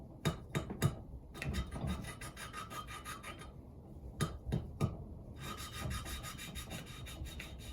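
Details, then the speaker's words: Yamaha Virago 535 valve lapping, coarse paste on the valve and a suction stick twirled between the palms: irregular rasping strokes, gritty at first, then smoother and lighter. The tone change shows the paste has stopped cutting. "And then you twiddle it like you're trying to light a fire. You'll hear the tone of the noise change."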